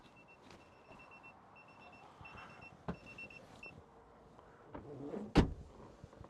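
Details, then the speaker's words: Citroen Ami with newly fitted tyre pressure monitoring system: run of short, high, evenly paced beeps over a quiet background right after fitting the sensors; warning of low tyres reading about 2.1, 2.1, 2.0 and 1.9 bar. "Spin that on quickly, and then this. That's it beeping. I'll go and check inside, see what's happening."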